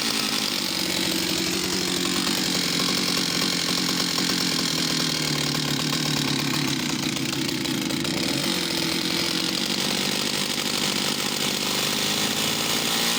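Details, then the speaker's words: Stihl 041AV West German chainsaw needing TLC, last run before sale: two-stroke idle rising and sagging every few seconds, seemingly going lean then rich; surging, uneven running, cause unconfirmed. "so she got that really interesting running like she's starting to lean and then richard's up but she's so complete"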